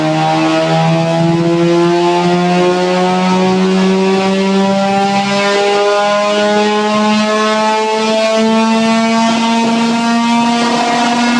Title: RX8 MISFIRE!